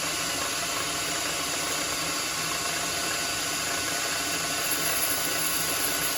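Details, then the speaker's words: Lathe turning an 8 mm solid brass rod down to about 7 mm for shelf pegs: even, steady cutting hiss with no squeal or rhythmic buzzing; smooth cut without chatter. "so i'm gonna start make sure you don't hit your truck obviously so you see how it's not making that chatter"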